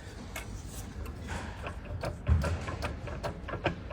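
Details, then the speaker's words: Porsche Panamera Turbo on a vibration chassis diagnostic stand: sharp irregular clicks, two or three a second, over a low rumble, from the driveshaft moving inside its housing rather than at the joint; on the road it clicks over speed bumps and uneven roads. "Yeah, it's not moving from the from the joint. This this is the sound. Not moving from the joint. It's moving from the housing."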